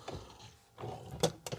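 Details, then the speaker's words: 1994 Rolls-Royce Silver Spirit III glove box: a brief rattle, then a hard clack as the lid drops freely instead of easing down. The damper behind the trim has failed and needs replacing. "I think it should be damped because mine comes down with a bit of a drop, and I can hear that shh. So I think there's a damper behind that trim. In fact, I know there is, because I've had a little peep, and the damper's obviously failed."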